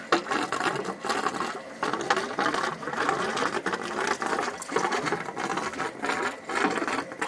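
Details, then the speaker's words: Two-zone hot-water baseboard heating system being bled with the drain valve and zone valve open; irregular spitting, sputtering, hiss and gurgle as air and water blow out the bleed hose; air trapped in the system. "now you open this side all right and you can hear the the air coming out yeah wow wow is there ever air in here look at that that's all air coming out of"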